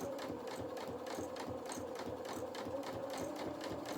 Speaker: can hear the rattle on my bobbin so that's getting near the end hopefully I've got enough to do this ham and I'll redo redo a bobbin